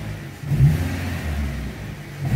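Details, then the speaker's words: 2014 Renault Sandero 1.6 8-valve K7M, about 198,000 km, after replacing spark plug wires that caused low-rpm stumbling and backfiring: two clean throttle blips rise and drop with no hesitation; normal throttle response. "ó aceleração do Sandeiro Ó você pisa Ele já responde ó"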